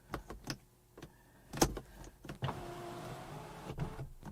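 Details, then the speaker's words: 2010 BMW 535i E61 wagon (auction car) panoramic roof, a known failure point on these cars: a short motor whir as it lifts, then only clicks and silence with no slide travel. The roof only goes up and is broken. "all right so it goes up and that is all that's all it does which nope so that's broke"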